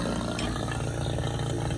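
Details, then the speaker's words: 12k BTU mini split install, before charging: a steady low droning hum with an even pulse and no rattles as the vacuum pump pulls down the lines toward −30. The pump works normally. "You can hear the compressor running. And once it hits -30, pulls off all the vacuum, it's going to make a different noise."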